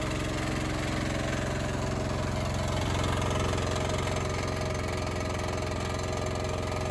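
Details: Honda EX1000 suitcase generator, choke believed off, load test: deep, heavy, steady drone with dull rhythmic thump and no speed change; owner says definitely labouring, base warming up. Engine labouring under heavy load.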